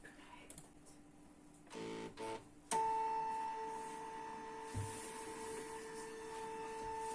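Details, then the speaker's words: Canon MF3010 scanner after reseating the flex cables that caused error E301, scanning via computer: a few short mechanical bursts, then the carriage motor settles into a steady, clean hum with no grinding; scanner now working normally. "Սկաներով արած պատկերը, իսկ սկաները սկսեց նորմալ աշխատել, խնդիրը շլեֆներից էին, որոնց հանել տեղադրելուց հետո խնդիրը լուծվեց։"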